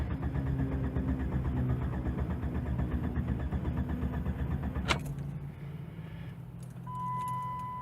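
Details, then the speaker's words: 1996 Jeep Grand Cherokee Laredo, engine warm at operating temperature: steady cranking drags on for several seconds without catching, long crank when warm; owner suspects dirty or bad idle air control valve (rough idle, poor mileage, check engine light on). "should be hard starting and possibly rough idle again let's see so watch the temperature okay up to temperature let's see if it's hard starting now"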